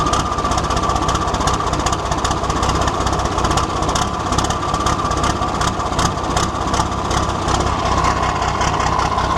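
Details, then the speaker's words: 1973 Volvo truck diesel, abandoned, first start on 24-volt system after bleeding fuel: loud clatter with a loping, uneven beat that skips; misfire, owner suspects air still in the fuel lines. "She's got a bit of a misfire there at the moment, but that's probably just a bit of air in the lines. That'll come out."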